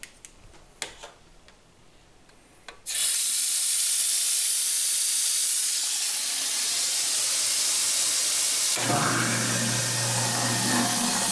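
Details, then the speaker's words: Garbage disposal that wouldn't start, freed by working an Allen wrench in the wrench hole in the middle, then switched on with water running; the motor kicks in with a steady low hum and no grinding, spinning normally. "there you go. If you're lucky, you'll start right up."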